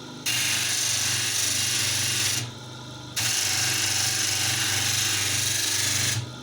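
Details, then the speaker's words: Homemade universal sanding machine built from an old Soviet bench grinder motor, sanding oak. A steady low motor hum holds its pitch through loud rasping sanding bursts; it keeps speed under load, unlike the old drill it replaces. "это дуб между прочим нагрузку держит в отличие от Старой дрели"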